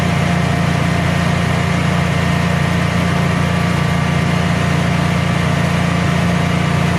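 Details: Generac Guardian 16kW standby generator, refurbished after exploded battery, running on gas under close to 6,000 W heater load: smooth even low drone, constant beat, no stumbling or surging; didn't even hesitate, carrying load cleanly.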